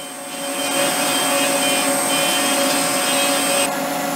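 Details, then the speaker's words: Longbeach 1/8 inch flat end mill milling the screw guide section of an injection mold for a Morgan G-100T press: piercing steady high-pitched screech over spindle whine throughout the cut, end mill chatter. "this is using the Longbeach 1/8 inch flat end mill and if you listen you can hear these screeching"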